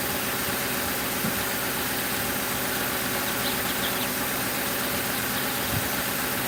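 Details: 2005 Crown Victoria police car V8 idling after replacing the grounded No. 4 ignition coil and plug that blew fuse 9 and cut all eight coils (codes P0351–P0358); smooth, steady even beat, no stumble, miss or knock; normal idle.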